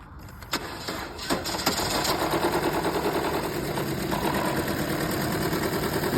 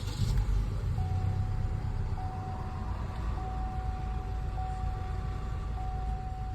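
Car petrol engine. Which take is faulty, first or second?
first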